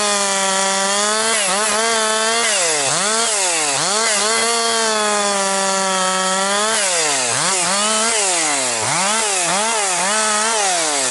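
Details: Husqvarna 262XP chainsaw after rebuild, breaking in bucking dry, dusty pine with rotten and hard spots; compression up, strong after last couple tanks. Clean high scream dips and recovers crisply under each cut; healthy, normal cutting.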